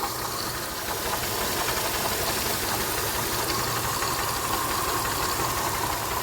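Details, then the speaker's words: 2007 Pontiac Grand Prix after ICM and harness replacement, still throwing crank sensor codes: constant idle under a loud hiss with an uneven light knocking; something inside the engine sounds unhealthy. "something inside this engine does not sound healthy"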